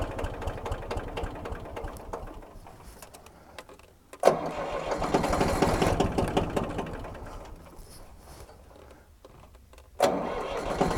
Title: Tractor won't start